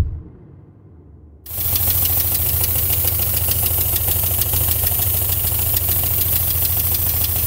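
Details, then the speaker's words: Renault Twingo bought broken down, engine starting: it catches and idles unevenly with a thin hiss-like whistle on top; owner suspects it is not running on all four cylinders, possibly an air leak; unconfirmed. "Euh je sais pas si vous l'avez bien entendu, mais il y a une sorte de sifflement. Euh pour moi, elle tourne pas sur ces quatre cylindres. Il y a peut-être une prise d'air, un truc comme ça."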